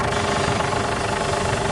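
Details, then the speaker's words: Ford Everest with stiff, noisy steering: steady mid-pitched power steering pump whine at idle while turning. It persists after flushing and overfilling with new fluid, so contaminated power steering fluid is blamed. "Yung tunog kasi nito mga boss kung papakinggan niyo parang kulang ka ng power steering fluid."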